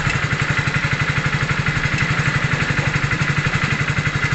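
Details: Hero Splendor BS6 single-cylinder bike during wiring work for a current problem: even, regular putter of about three beats a second with no misses or knocks; normal idle.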